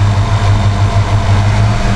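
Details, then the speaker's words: 1988 Mustang GT V8 idling after ignition timing set to about 15° and distributor pigtail (spout) reconnected: rpm picks up, settling into a steady, smooth, even idle with no misses. "hear you hear the RPMs pick up there okay that's at about 15"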